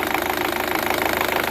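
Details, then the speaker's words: Chevrolet Cruze LT engine at idle: fast, even metallic rattle from the timing gears, heard more toward the rear intake side; typical of intake cam phaser rattle. "Dale marcha pueden escuchar este ruido viene de esta parte de aquí de los engranes"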